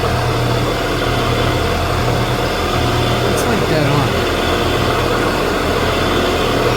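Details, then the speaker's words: 1979 Shopsmith Mark 5 running after quill replacement, quill extended: smooth, even motor hum with no wobble beat, machine much quieter and vibrating on the floor less than before; normal running, low vibration. "feel I mean and the whole machine vibrates on the floor so that not as much as it did right that's literally almost perfect"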